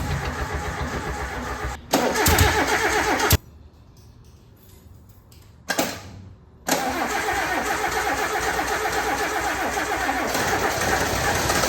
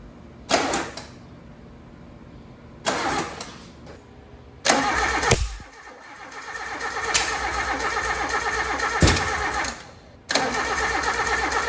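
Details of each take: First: Suzuki Samurai engine, first start after weeks of starter and distributor-timing problems: starter cranks, briefly catches and stalls, then fires and settles into a steady, fairly even four-cylinder idle; normal start and idle. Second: Suzuki Samurai in a build, first start after weeks of problems: engine cranks in several bursts with sharp backfire pops but never catches; owner first suspected the distributor and re-timed it.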